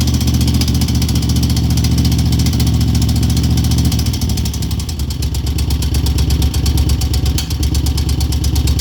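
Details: 2002 Moto Guzzi California EV V-twin idling then blipped: quick metallic top-end tick that speeds up with revs; cause unknown.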